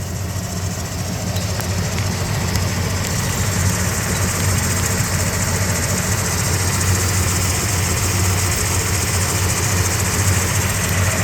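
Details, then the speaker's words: 1979 Jeep Cherokee Chief after a frame-off restoration, with a rebuilt AMC 360 V8 and Holley 2300 EFI fuel injection. Deep, steady V8 burble at idle with an even rhythm and no knocks or misses; runs smooth and healthy. "Starts right up. Let you hear the engine. Runs very smooth. Runs good. It's strong."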